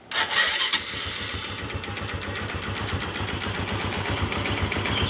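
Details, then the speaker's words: Honda Supra X Helm In fuel-injected motorcycle, owner complaint of rough engine noise: starts and idles with a light, rapid "keletek" clattering tick from inside the engine, slightly audible when revved. "Nah suaranya terdengar ya keletek-keletek di dalam kita gas"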